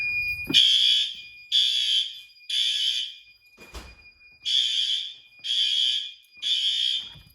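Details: May fire alarm test: building fire alarm horn sounds in three one-second blasts, a pause, then three more, the standard evacuation pattern; alarm working normally.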